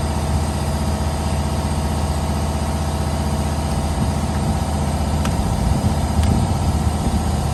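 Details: 2015 Holden/Chevrolet Captiva after replacing the faulty exhaust camshaft solenoid (old 1 megaohm, new 10.9 ohms) for code P0013, DTC cleared; smooth, even low rumble at idle, no misses, ticks or hunting; normal idle.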